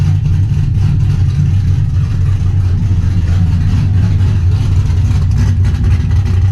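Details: Trans Am after replacing the corroded knock sensor with a new GM AC Delco part and a new harness, old code cleared: deep, steady low idle rumble with an even beat, no ticking or knocking; healthy idle.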